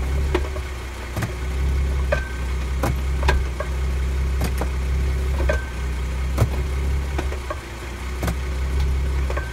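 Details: New 2017 Ford Mustang V6 automatic, about 580 miles: sharp uneven clunks about once a second over idle when engaging gears, suggesting driveline slack; source undetermined.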